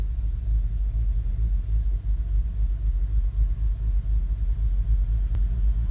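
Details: 2015 VW Golf R DSG, APR stage 2, cold or warm, in park or in drive on brake: deep, uneven idle rising and sagging as if near stalling, with needle jumping; drives fine; new plugs, coils, oil, cam adjuster magnets tried.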